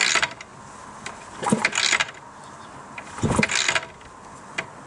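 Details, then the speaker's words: Yamaha RS125 DX 125cc, spark plug removed, new casing bolts and fresh oil after at least 10 years: three kicks, each a quick, free-spinning ratcheting whir with no scraping or clunks, plus good compression; bottom end turns over healthy. "Oh, that sounds really good. And it comes back up nicely."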